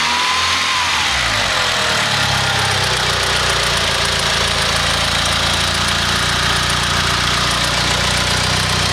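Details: Mitsubishi 4G63 engine in an EVO 3 (DSM): revs blipped and falling back to a steady idle with a dull knock underneath; owner suspects a spun bearing, unconfirmed; engine knocking noise.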